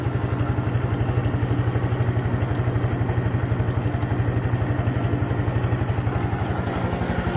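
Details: Honda Cub Pro single-cylinder engine at steady idle after an oil change meant as a countermeasure: regular mechanical clatter about three knocks a second over a low thumping beat; abnormal engine noise persists, cause unknown.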